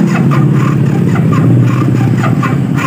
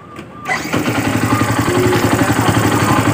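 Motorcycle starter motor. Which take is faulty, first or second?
first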